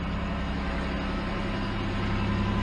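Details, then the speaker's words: 2006 Chevy Impala with reassembled engine, check engine light on: low smooth idle hum with steady pitch, no knocks or misses; running well, not overheating, no oil leaks. "we're running so so bad getting really good was able to take that Street everything's doing do a good we're not overheat we're not leaking any oil"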